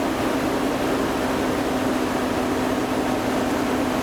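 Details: 2003 GMC Envoy 4.2L 4x4 after power steering pump repair (broken pulley shaft): steady, even running note with no knocks, whine or groaning from the pump; engine and power steering sound healthy.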